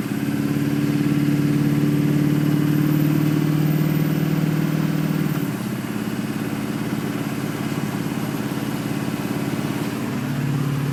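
Engine idles with a steady clatter pulsing about three times a second and a slight dip midway; fuel delivery is suspect.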